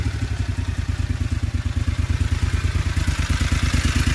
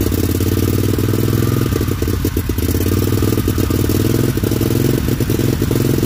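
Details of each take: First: John Deere XUV 625i Gator with a rough-running and misfire complaint, during diagnosis with throttle position sensor and stepper motor testing: even firing with no skips; the engine now idles smoother. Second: John Deere XUV 625i Gator, no flash code set. Uneven, stumbling engine beat with clattery breakup and a sudden dip mid-run; rough running traced to a failed throttle body stepper motor.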